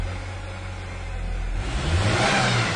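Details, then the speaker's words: 1997 Ford Ranger, warmed up, idling on its own: stumbles terribly and bogs when throttle is applied; fuel pressure below the 35–40 psi spec, suspected bad check valve; low fuel pressure. "this truck's got a fuel pressure problem for sure. And I think it's our only problem. Yeah. When I hit the gas pedal right now, the truck stumbles terribly."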